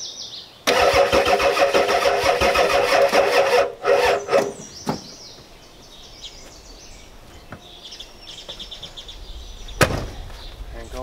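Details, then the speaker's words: 1993 Ford F-250 7.3L IDI diesel with a new mechanical fuel pump, cranked on two rigged batteries: it cranks but won't start though fuel is present. The owner believes it needs a new starter and cable ends and suspects fuel leaking back to the tank; cause not confirmed. "It won't start. There's fuel there."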